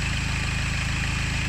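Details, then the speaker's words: Diesel engine idling: a faint high whirring rotational noise above the usual clatter, higher-pitched than diesel knock and with a frequency to it. Suspected sources include pulleys, the cam or drive belt, chain, or clutch bearing; unconfirmed. "This is a diesel. Can you hear it? It's a little bit more high pitched than the diesel knock,"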